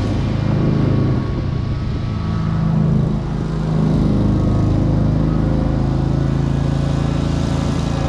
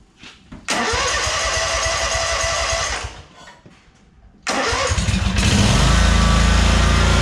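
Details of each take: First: 2003 Wright Stander, 23 hp Kawasaki V-twin, after everything wrongly hooked up was corrected and adjusted: steady, even low drone with no misses, surges or knocks. The engine runs properly. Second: 2003 Wright Stander mower, 23 hp Kawasaki, with fuel pump rigged to the crankcase pulse output: cranks, stalls, then catches into a heavy uneven thump; poor running because choke and throttle cables were on the same linkage, working against each other.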